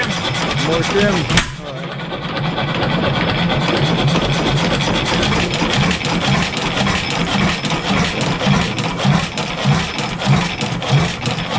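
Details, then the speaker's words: 7 HP Stickney stationary engine first run after decades sitting, timing slightly off; slow single-cylinder thump with light knock each firing stroke, loose connecting rod bearing, shim likely needs pulling. "you can hear it just making a little bit of knocking in the rod so I wouldn't be surprised if we got to pull a shim yeah a little bit movement shim's got to come open so not a big deal"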